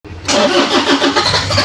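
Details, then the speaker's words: Toyota Hilux, engine ran earlier but now won't start: starter churns under two seconds with a few uneven coughs as cylinders try to catch, never picks up; crank no start with coughing. "y Malapit na start malapit na tay magbayad so kinakapos parang inubo sige pa One More Time patay"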